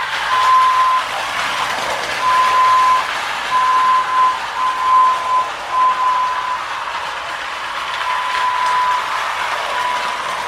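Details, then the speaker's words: 1930s Marx Mercury clockwork toy train with whistling motor, after filing the slipping pawls to engage the sprocket, pulling a tender and cars: whirs and rattles at high speed, running strong, whistle hooting steadily. "okay oh it's not going to quite make it around but it runs pretty strong really happy with it"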